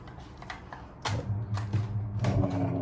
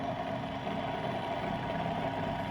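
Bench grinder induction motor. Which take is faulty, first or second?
first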